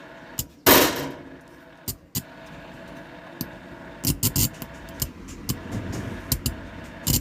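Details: Amplifier: irregular sharp pops and crackles burst through a faint hum when the volume is turned up or down, caused by a faulty volume potentiometer that is to be replaced.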